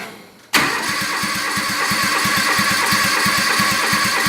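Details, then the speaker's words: Kawasaki FD620D V-twin in an Argocat after partial engine rebuild (oil pressure light wasn't going out), cold start on a very cold day without choke while recording oil pressure gauge; catches at once, settles to steady even idle, about 65 psi: normal cold start and idle. "Sounds like it's fired up without any choke. We're looking at about 65 psi. Not too bad."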